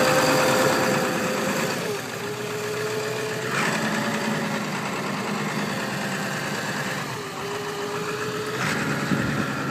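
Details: 2002 Ford 7.3 Powerstroke diesel, snowy December cold start, 4-inch MBRP turbo-back exhaust and possibly TC 6-position tuner: even cold-idle clatter with small speed dips that settle, no misses or knocks; normal cold idle.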